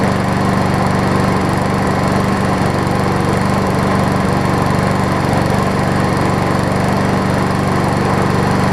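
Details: MTD push mower after carb repair, crankshaft fix and new air filter: steady, even single-cylinder drone holding speed with no misses, hunting or knocks; running healthy.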